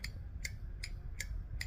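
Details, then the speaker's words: A2 bowling pinsetter motor start relay replaced with new old stock part after old one kept sticking during on/off test: five crisp, clean clicks about every 0.4 s, no chatter or buzz; relay switching properly. "We have uh a new old stock relay. What a satisfying click."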